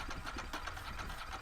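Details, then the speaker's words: Ducati 916 Biposto, 13,800 km, attempting to start after standing 15 years in a private collection; battery dead, fuel pump sounded dry. The engine cranks in a quick, even chugging rhythm but never fires: cranking, no start. "So I thought I'd try anyway. Kind of as I expected. Uh we had nothing."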